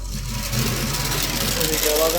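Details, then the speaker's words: Huawei rectifier cabinet, one rectifier module intermittently alarming: steady loud whooshing hiss over a low hum, like a rough fan inside the module; noise stops when the module is pulled out and returns when reinserted; cause not confirmed. "अभी देखिए sound आ रही है, मैं इसको निकालता हूँ, आवाज़ आ रही है ना, मैं इसको निकालूंगा तो आवाज़ ये बंद हो जाएगी।"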